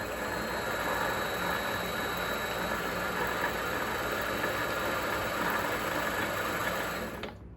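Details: Vevor MX400 mini lathe after reinstalling the tension pulley on a redesigned mount, run briefly without grease from 50 up to about 1100 RPM: steady, even whir with a faint high whine, no knock or rattle, smooth spin-down; normal.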